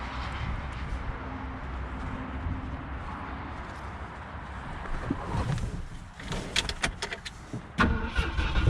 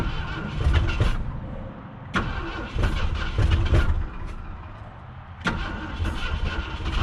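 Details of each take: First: 1966 Ford Galaxie, 352 V8 four-barrel with Cruisomatic automatic, formerly seized, first start in 26 years on a weak cheap battery, possibly fuel-starved: slow, labouring cranking, then it catches and settles into a steady, even idle. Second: 1966 Ford Galaxie, 352 V8 four-barrel, first start attempt in 26 years after being seized: starter churns in uneven bursts but the engine never catches; owner suspects insufficient fuel at the carburetor and a weak cheap battery.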